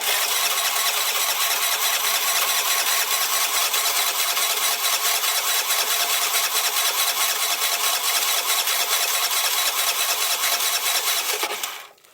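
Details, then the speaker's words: 2007 Piaggio MP3 scooter, cranks but won't start: long starter whirring with a loose beat about twice a second, never firing; fuel not reaching the carburetor, suspected pipe blockage, split fuel hose taped, choke possibly faulty, carb diaphragm split. "so we'll take the CB away cu the fuel's not getting into the car body which is probably a blockage in this pipe or something so I'm going to have to take it away that's why it's not starting"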